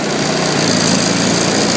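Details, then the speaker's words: Zanotti 1400 refrigeration power pack small engine after unit switch on, driving full-size compressor and alternator, charging and cooling: even, steady drone carrying the load without hunting or misses; normal running under load. "Once everything comes on, you'll hear the load on the engine again."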